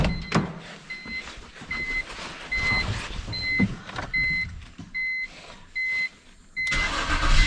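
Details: 2004 BMW 325xi with replacement engine idling after coolant fill and bleeding, cold day; steady low idle with repeating two-tone warning chime; runs pretty good, warning lights from ambient temp sensor, secondary air pump, chewed wheel speed sensor.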